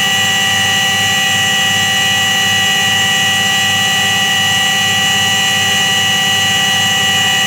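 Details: Washing machine spin with a steady droning hum and an even high whine, typical of a worn drum bearing roaring under load.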